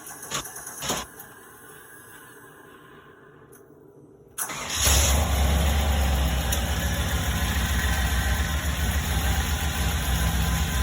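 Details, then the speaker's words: 1995 Pontiac Trans Am V8 cold start after sitting on a lift: settles into a deep, lumpy idle with a faint puffing tick from a small exhaust leak, apparently on one side, when cold; otherwise runs well. "I got a little exhaust leak when it's cold not that bad you can hear it it's more sounds like it's on that side"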